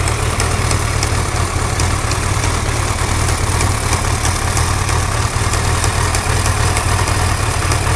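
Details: Suzuki GSX-R1100 at idle: a sharp, light ticking riding on top, several ticks a second and even in rhythm; an engine tick of unknown source.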